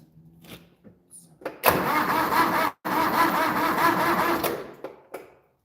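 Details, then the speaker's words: Project loboy with a 400 engine, cranked with the fuel line disconnected so it can't start: two sluggish, uneven, labouring cranking bursts with a pause between them, because the battery is nearly dead. "Don't want to crank it over too much, but you can tell the battery's pretty much dead."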